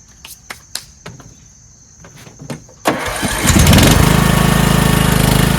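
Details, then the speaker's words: Toro Wheel Horse 1438HXL lawn tractor, repowered 17.5 hp engine, after trimming an inch off the lip: faint clicks, engine catches and settles into steady, even run with no rubbing or scraping; works great, normal running. "Works great. I'm stoked."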